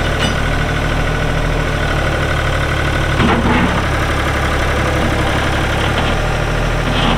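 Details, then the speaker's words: 1999 New Holland TN65S 4WD diesel tractor, cab with AC, 8-speed hydraulic shuttle, NH 33LA loader, 4,162 hours: steady, even diesel clatter at constant idle, no misses, knocks or surging; AC cold, hydraulics strong, engine sounds good — normal diesel idle. "ood like I said AC is blowing cold Hydraulics are strong engine sounds good"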